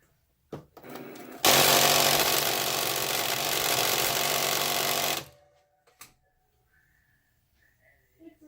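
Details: Cricut Explore 2 cutting machine: harsh, steady grinding with a fast regular chatter for about four seconds while the carriage runs, then it stops.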